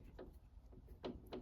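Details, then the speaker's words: Hayabusa-engined mini race car, race prep, engine off: sharp clunk each time the wheel corner is rocked by hand, play in the bearing inside a rose joint fitted new two race meetings earlier; replacements to be ordered. "Hear that noise? That is play in the actual rose joint. Now these were brand new rose joints 2 race meetings ago."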